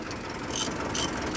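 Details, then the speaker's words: Mitsubishi 4M42 diesel before troubleshooting, with check engine light and fault code for injector number 1: uneven, shaking idle with sharp knocks about every 0.4 seconds over the rumble; rough, misfiring-type running, cause not yet confirmed. "So yun, nanginginig oh. Nanginginig, pangit yung andar ng makina."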